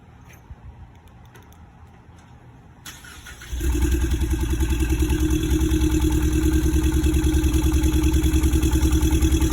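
Engine cranks and catches, then idles with a steady, lumpy pulse about three times a second; an uneven idle fitting a single-cylinder misfire.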